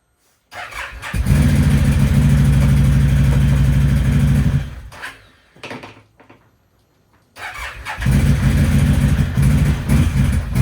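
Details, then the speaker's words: 2011 Can-Am Outlander 800 XTP ATV on a test ride after a used ignition switch was fitted: the engine bursts in and out with lumpy, uneven pulses, as if firing on only one cylinder. No check engine light is on; fuel pressure is the next suspect. "it's definitely not running on two cylinders like it's running on one"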